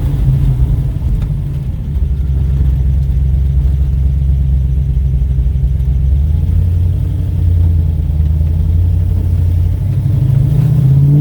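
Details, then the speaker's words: 1969 Pontiac GTO with newly rebuilt V8 and new transmission, test drive to 4000 rpm after fixing exhaust leak; deep steady rumble swelling under acceleration with gurgling, slight backfiring, no hiss or ticking. "i took it up to 4000 rpm uh i'll see if i got on video or not but there's still a little bit of backflowering but it it's that awesome verbal gurgling burgling so this sounds awesome"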